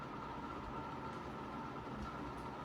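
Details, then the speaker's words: Used 36-inch Moss Caribbean Breeze ceiling fan, running: a steady, low, rough rumble under the even hum of the motor. The bearings are worn and noisy and need replacement. "great air mover though as you can hear the bearings are quite noisy now"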